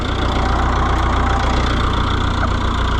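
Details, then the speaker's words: Oliver 1365 diesel utility tractor that quit in the field, now idling after its original transfer (fuel) pump was replaced: even clatter about 220 beats a minute, steady low rumble, no stumbling; normal, healthy idle. "There you go. Transfer pump of sadness. Thank goodness that's all it was."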